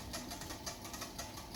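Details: Xiaomi Walkingpad C1 treadmill: light rhythmic squeak about three times a second over soft motor hum at startup, only after being folded or unused 8-12 hours; gone after about 2 minutes; owner wonders if lubricant needed.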